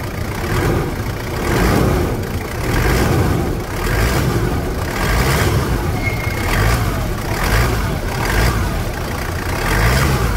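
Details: Toyota Land Cruiser Prado diesel, after replacing broken engine mounts with correct Prado parts instead of SW4 ones: it idles, then rises and falls with slow, even rev blips, with no clunks or knocks. Normal idle and revving.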